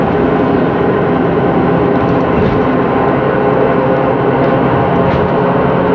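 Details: 2013 MAN Lion's City CNG bus, MAN E2876LUH03 EEV turbo engine, ZF Ecolife 6AP1400B 6-speed gearbox, heard inside while driving: steady road roar with a faint constant hum-like whine; faulty, noisy differential.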